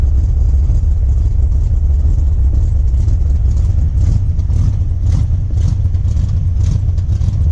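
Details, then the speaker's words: Jeep Wrangler 4.2L six with Comp cam, before the timing fix: low, choppy idle with an uneven lope as if only some cylinders fire; ignition timing at 57 degrees dumps fuel and floods it until it clears, mistaken for cam lope. "so when you start it with 57 degrees of timing basically it's just like flooding itself out you're dumping fuel in there way before it's ready for the ignition cycle"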